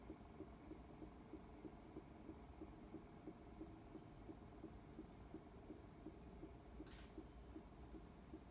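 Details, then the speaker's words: Whirlpool-style washing machine in service diagnostic mode after shift actuator fix, tub coasting down after low spin before low agitate; tachometer still reports motion; quiet, even whir with faint regular tick about three times a second; normal tub spin-down. "and it's still spinning and the tachometer is telling the machine that it's moving so it won't go into agitate till the the tub stops spinning i can still hear it"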